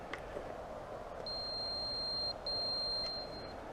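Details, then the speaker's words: Traxxas Aton Plus quadcopter Find Me beeper, triggered by holding the stick to the lower right corner; two thin, steady high-pitched tones about a second each with a short gap, not very loud, locator working. "First thing I'm going to show you is the Find Me beeper. It's pretty cool. You hold your stick down lower right hand corner and it emits a tone."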